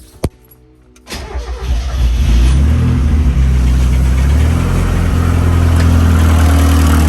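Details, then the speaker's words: Mazda Miata, before lifter cleaning: cranks and settles into a steady idle with a light, quick ticking of about four a second on top. A mechanic judged it an intake-side cam/lifter tick in the top end, a noisy lifter. "i'll start it up and show you guys the tick right now and then i guess we'll see if it goes away or not"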